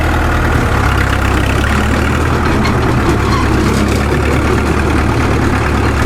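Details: Caterpillar D2 #5J1113 crawler tractor diesel after replacing the internally leaking number 3 injector: deep, steady thrum with an even beat, no pops or misses; pop gone, running cleanly.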